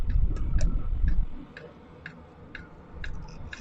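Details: Sunster 5 kW all-in-one diesel air heater in automatic mode, set to 16°C with outside about 16°C, fan calmed: light sharp ticks two or three a second over soft fan rush, fuel pump metering normally.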